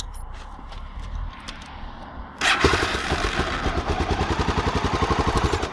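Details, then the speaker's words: Honda XR650L with stock pipe, Dave's mod, rejetted to 52 pilot and 155 main for 2,000 ft, started hot: catches first turn, then even single-cylinder thump at idle, about four beats a second; when cold needs a crank or two with choke. "It is hot now, but it starts first turn. Sometimes when it's cold, you have to crank it once or twice with the choke on. But anyways, it starts right, it runs good."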